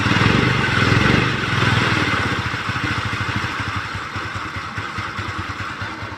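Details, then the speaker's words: Kymco Easy scooter checked for creaking at idle, CVT inspected and in good condition, camshaft bearing checked: even steady putter, regular firing, no creak or knock; normal idle. "Hai normal sekali specnya tidak ada suaranya aneh-aneh CVT nya sangat normal halus adem berada suara yang aneh"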